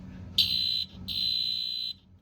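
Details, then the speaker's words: Septic pump-chamber high-water alarm in a basement, triggered with its test button; loud, piercing high-pitched horn in two long steady, clean blasts, exactly how the alarm should sound. "That is to tell you, hey, Mr. Homeowner, Mrs. Homeowner, you've got a problem. You've got to call your septic guy."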